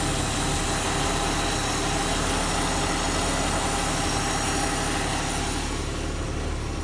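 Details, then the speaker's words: Squad car project car off the road and not started for over a decade, fresh oil and fluids, warming up: steady, even, quiet idle with a soft regular pulse and no knocks or rattles; runs healthy. "this cars been off the road for over a decade hasn't been started and over a decade I should say as well so actually pretty happy that Scott are going the springs are a little weak but she is she's actually pretty quiet"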